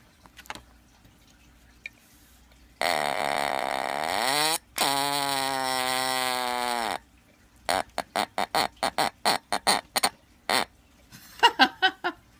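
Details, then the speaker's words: Sears "Early One" smoke/fire detector, test panel not working, run on a non-alkaline 9-volt battery; two long sagging buzzy blasts then rapid chopped bursts like a fart; weak distorted horn from wrong battery, needs 9-volt alkaline. "Watch this. It sounds like a fart or something like that. That's a fail, but at least it doesn't work."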